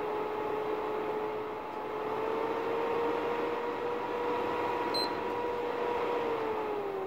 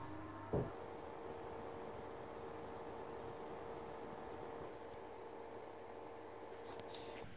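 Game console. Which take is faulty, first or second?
first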